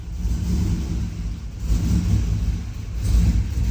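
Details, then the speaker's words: Turbo 6.0 AWD Silverado first fire-up, tune not yet updated; low uneven rumble surging and sagging every second or two, hunting and barely holding idle, stalling; needs a tune before it will idle. "oh oh it was it idled for a second there I want to have it idling so that I can check the transmission fluid but I'm going to have to get a tune in it first"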